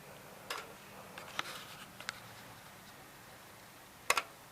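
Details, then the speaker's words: Riding mower with electric lift, key switch off: faint, irregular sharp clicks from the hour meter still running; owner suspects an electrical short keeping accessory power on, unconfirmed. "I gotta make sure everything's shutting off, because I swear, yeah, the hour meter's still running."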